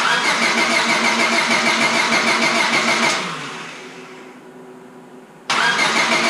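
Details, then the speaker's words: Honda Civic Si after rebuild, distributor with new cap and rotor just fitted: fast steady starter whirring about three seconds, winds down, cranks again with no firing; still no spark, owner suspects coil arcing to distributor housing. Crank no start. "Still no spark, I'm assuming."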